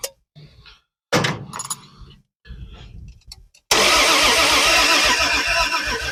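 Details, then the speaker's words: Car off the road about 40 years cranks steadily on the starter but never catches or fires because the ignition wasn't hooked up; timing possibly a distributor tooth off. "it helps if you hook up the ignition"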